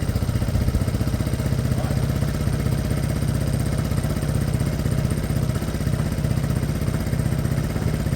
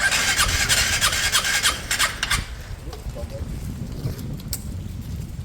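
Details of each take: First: Piaggio Fly 125 fuel-injected scooter after engine swap, fresh oil: steady even low putter about four beats per second, no knocks or misses; smooth normal idle. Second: Piaggio Fly 125 fuel-injected scooter, first start after engine swap with fresh oil: fast starter pulses about three a second for over two seconds before it catches and settles; slow to fire, hard starting.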